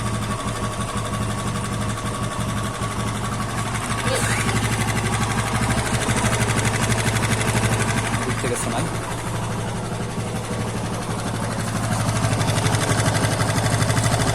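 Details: TVS Apache RTR 160 2V engine idling: quick, even tick about three per second (tik tik noise), likely from the top end, cause unclear; engine ticking noise.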